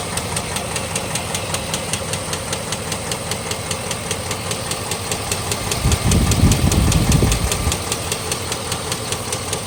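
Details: 2006 GMC Envoy XL Denali, 5.3L LH6 Vortec 5300 V8 with Displacement On Demand, 68,400 miles, idling: sharp regular knock about three times a second; fatal rod knock after repeated oil pressure loss (titled rod knock / lifter tick).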